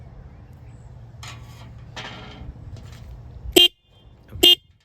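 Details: 2021 Harley-Davidson Heritage stock horn after turning its tone adjustment screw half to full turn: two short thin tinny honks; still weak and reedy, adjustment barely changed it.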